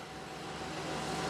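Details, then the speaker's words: 2019 Ford F53 6.8 V10 gasoline after right-side camshaft replacement for cylinder 4 misfire (P0304) and noise: quiet smooth idle with no ticking or knocking; the camshaft noise is gone on the right side. "está el que ya no se escucha ruido se escuchaba el ruido en el eje eleva está en este momento del lado derecho quedó bien"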